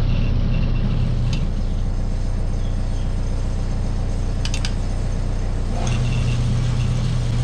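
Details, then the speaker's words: Barn overhead garage door opener: drive motor hums when open is pressed but won't start turning, though it keeps running once pushed; failed start capacitor. "all right so we can hear it humming if we push the open button and then as it goes um once we get it going it keeps going but it just won't start which pretty well tells us that the capacitor here is what's given out"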